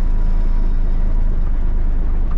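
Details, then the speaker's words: K100 cabover truck after drop-in fuel filter replacement: low, even diesel rumble holding steady without stumbling as clutch is let out with no throttle; pulls cleanly at idle. "not even have to give it any throttle we're just letting off on the clutch and she's rolling oh God reverse so much better so much better"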